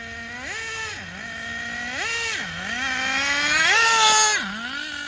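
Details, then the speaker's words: Schumacher Menace nitro RC car after the high-speed needle was leaned half a turn. Small engine buzzes at a high steady pitch between sharp rev blips and idles so high it barely slows even with brakes; owner suspects the driveline or ball diffs. High idle. "And then what you just seen there was it idling so high that I had to slam on the brakes, and it still took a while to slow down."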